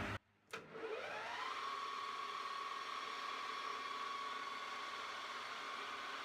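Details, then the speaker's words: Hafco AL-336D metal lathe after repair from a feed crash (bent shaft, sheared shear pin), reassembled without the dial indicator and couplers. Motor spins up in about a second to a steady even whine and hiss, no knocks. Normal lathe running. "all right I'll start it up now obviously it's gonna be noisy so say goodbye now see ya"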